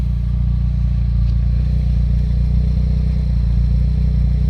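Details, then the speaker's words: Mitsubishi 4G63 petrol engine after repair, idling as the AC compressor engages: deep, even idle rumble with no stumbles or misses and a small normal rise in revs when the compressor cuts in. "ความแอร์ทำรอบจะเร่งหน่อยนะครับเป็นเรื่องปกติ"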